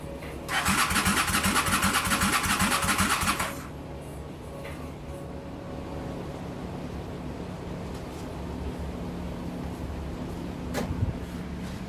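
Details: Motorcycle starter spins the engine with a brisk, even chugging for about three seconds, then stops without a single firing; it cranks but will not start.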